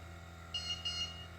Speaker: through the nose, it's going to give you a a little alarm and the uh yellow light's going to come on telling you to take a breath through your nose.